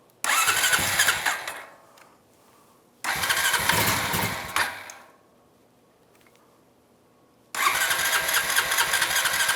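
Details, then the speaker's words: 2006 Honda Rancher 350 (TRX350) barn find after carburetor rebuild and new float, idle raised: three start attempts, engine catches, sputters about a second and dies each time; acting like flooding, cause suspected, not confirmed. "acting like you're flooding."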